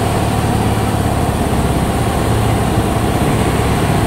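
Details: Honda Beat injection scooter after new throttle body installed, previously hesitating at high rpm (blamed on sensor): smooth even buzz at constant speed, no stumbling or surging; normal idle.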